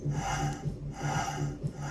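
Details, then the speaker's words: Vortech supercharger, old unit that went bad: harsh rasping grind in repeated strokes, about four a second, loud and nasty, though it still made boost; would have torn itself up, so it is being rebuilt; internal supercharger grinding. "very loud. New, soft, quiet. So we know it still made boost, which is great. But just a loud, nasty noise, and eventually it would have tore itself up."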